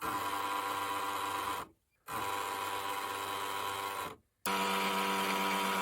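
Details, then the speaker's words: Sony DHC-ZX50 MD stereo, tape B playing after reconnecting a repaired connector: steady high whirring buzz with fixed tone, cutting out twice and restarting; cassette mechanism noise, cause not confirmed. "I have the tape going, but what the hell is that noise?"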